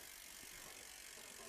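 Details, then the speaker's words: eBike hydraulic disc brake after centering the caliper and straightening the bent rotor: quiet, quick freehub ticking as the wheel coasts freely with no pad rub or scraping; rotor runs true. "All right, so sounds much quieter. Looks a lot more aligned."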